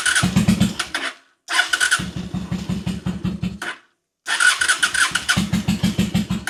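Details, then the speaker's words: 2003 Honda Shadow Spirit VT750 V-twin on non-ethanol fuel, lumpy uneven firing that stumbles and cuts out; running on one cylinder, a recurring carburetor problem. "So, as you can hear, this thing's just running on one cylinder. And obviously, there's no diagnostics needed because I've been dealing with this ever since I've had the bike."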